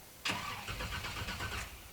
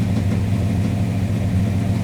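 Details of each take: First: Flooded 1985 Monte Carlo SS 350 Chevy on its 20-year-old mini starter: one short 1.5-second crank burst to build oil pressure, turning over freely with no hydrolock but not catching; crank, no start. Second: 1985 Monte Carlo SS 350 Chevy, unused for a month and just flooded, warming up to operating temperature with smoke from a suspected leaking valve cover gasket: steady, even low rumble without stumbles; normal warm-up idle.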